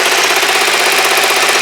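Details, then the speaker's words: Kawasaki GPZ500S twin restarted after a starting and timing problem, idling while still below operating temperature; quick, even patter with no misses or knocks, running very nicely; some vapour or smoke seen from the rear. "well as you can hear that's oing very nicely um it's not poured up to temperature yet"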